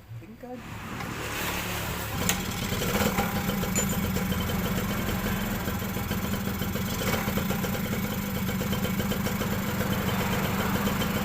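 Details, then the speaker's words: Suzuki Crystal motorcycle engine just reassembled and refilled with oil; it sounded very rough before. It catches after a couple of seconds and settles into a smooth, even idle with no rattle. Sounds healthy. "sudah halus kan suaranya ya memang kemarin Kasar banget enggak kita videoin"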